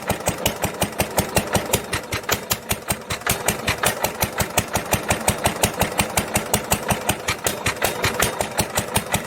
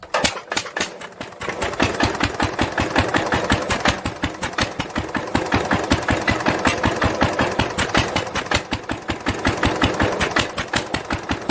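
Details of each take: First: 1946 International LBBR McCormick-Deering 3-5 hp hopper-cooled single-cylinder engine from a hay press, running on its original muffler. Sharp, regular exhaust cracks come at about 167 a minute, a harsh, barky note, heard before a glasspack muffler is fitted. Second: 1946 International LBBR 3-5 hp hopper-cooled engine off a hay press, with a homemade glasspack muffler fitted, recorded from about the same distance as before: sharp, even exhaust pops roughly 160 a minute over a steady background; normal running.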